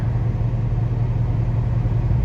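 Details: Chevrolet Camaro L99 V8 with cylinder deactivation, which had a rod-like knock: steady low idle rumble, smooth and even with no knock left after a restart.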